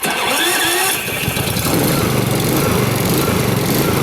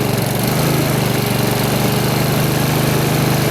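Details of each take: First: New Honda HRX2174HZA mower, electric start on fast with auto choke after recharging its battery: starter whirs, engine catches, then speed surges about every half second before settling; happens after sitting, cause uncertain. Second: Brand-new Honda HRX2174HZA mower after its dead battery was charged to 12.7 V, electric start with auto choke on fast: initial auto-choke surging has died out, leaving an even, steady single-cylinder chug; running normally.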